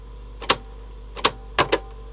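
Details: Aiwa CSD-EX10 boombox with a Tanashin TN-21Z cassette mechanism: irregular sharp clicks from the autostop lever over a faint hum, the known Tanashin clicking autostop issue; owner thinks retensioning the spring fixed it before.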